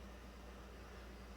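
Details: 2009 Toyota Corolla 1.8, after charcoal canister assembly replaced because the failed leak detection pump would not run: faint, steady low electric hum with no cutting out as the pump builds vacuum toward about negative 39 during the EVAP check.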